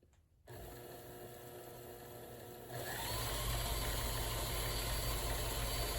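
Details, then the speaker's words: Kenmore Sensor Sew 70 (385.1950280) after freeing a locked-up mechanism, cleaning and lubricating: smooth, even motor hum rising to a steady faster whir with regular stitching beats and no catching; normal running. "here it is running great doing quite well sounds good I might loosen the motor a little bit see if I can get a little bit more speed out of it"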